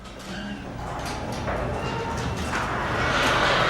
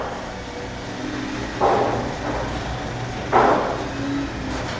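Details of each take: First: Garage door after the metal rollers were replaced with new rollers and sleeves, but before lubrication: much quieter rolling on the track, yet short high squeaks remain mid-travel. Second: Garage door after replacing metal rollers and other fixes; low steady opener motor drone with a few soft roller bumps, no grating or screeching, much lower volume than before. Normal garage door operation.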